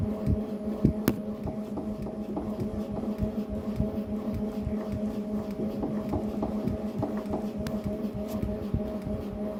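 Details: Tacx Neo Bike smart trainer in ERG mode while pedaling: steady hum with dull, fairly regular knocks each pedal stroke; tightening the left crank arm did not help, cause still undetermined.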